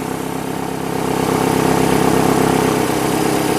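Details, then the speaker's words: 2005 Nissan Altima 2.5L four-cylinder idling after valve cover swap and new spark plugs, coils and boots fixing oil-soaked plug tube misfires; even, regular firing pulses, no stumbles or skips; runs smoothly with no misfire. "it runs it lives it doesn't backfire or not backfire but misfire Yes No it should be good yeah that should be"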